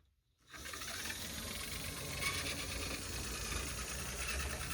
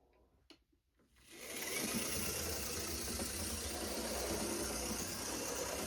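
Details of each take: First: Dual-motor Tyco HO-scale C630 Alco locomotive: faint motor whir under a dry scraping rasp while running; a repair screw in the truck pivot rubs the locomotive frame as the truck moves. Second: Tyco GP20 HO scale locomotive after truck cleaning, running under power: steady even motor buzz with no catches or stalls, good in reverse and even stronger forward; normal running.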